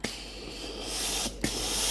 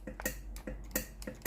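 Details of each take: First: Philips GC9315 steam iron after boiler replacement, repairing a no-steam fault: steady hissing steam spray with quick clicking water pump pulses, about two or three a second; steam now comes out normally. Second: Steam iron station GC9315 powered on, switch pressed: sharp dry ticking about three a second but no steam and no water pump sound; failed boiler.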